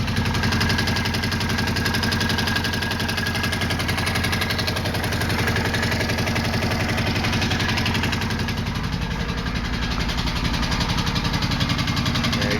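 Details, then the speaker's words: 2005 Suzuki Boulevard C50T V-twin at idle before a valve adjustment: quick, light "sewing machine" tick over the engine from the front cylinder; owner suspects valve clearance. "hey YouTube so today I'm working on the boulevard we've got the notorious angry sewing machine sound coming from the front cylinder front jug what I'm going to try to do is adjust my valves first"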